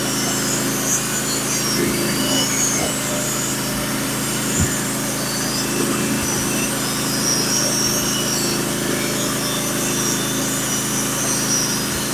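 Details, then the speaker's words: Norwood HD36v2 bandsaw mill with sharpened Stellicut (stellite) band and new roller guides cutting Red Oak deck boards; steady even saw-and-engine drone with no chatter, surging or labouring: clean cut. "yeah it's perfect this this B is is setup is cutting beautiful right now"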